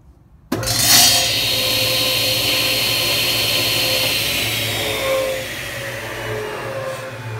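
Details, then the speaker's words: Old Powermatic table saw on a newly wired 20 A breaker: a sharp high squeak right at startup, then a lower chirp while running. The spindle has some runout, and a zero-clearance insert is still cutting its path. "so old girls got some squeaks and I'll put this zero insert thing in here and it's still kind of cutting its own paths you can kind of hear it on startup"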